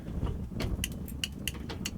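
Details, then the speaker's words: 1957 Dodge D500 truck sitting for years: with the ignition key on, irregular sharp crackles and pops over a low hum as an under-dash wire melted to bare copper, grounded behind the clutch pedal, fries and gets very hot; a shorted wire arcing. "you can hear it start to fry, and this thing gets heckin' hot."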